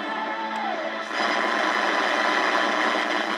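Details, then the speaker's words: Early-1980s GE clock radio on AM; constant rough buzz and hiss caused by electrical noise from a nearby laptop's aftermarket power adapter. "my laptop and my aftermarket power adapter that thing um i don't even know who it's made by it's uh picking up a lot of uh it's generating a lot of uh electrical noise"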